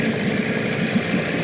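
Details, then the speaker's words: Evinrude 15hp long-shaft two-stroke outboard, compression about 100–110, carb cleaned, new water pump now pumping a constant stream, new lower gear oil; steady, even putt-putt at low idle, no misses, rattles or surging, idling wonderfully. "But yeah, I mean, it idles just wonderfully."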